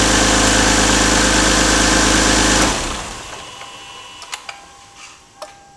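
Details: Toyota Aristo V300 2JZ-GTE turbo petrol inline-six after spark plug replacement to fix a misfire, idling with a steady even hum, then shut off leaving light clicks: normal idle.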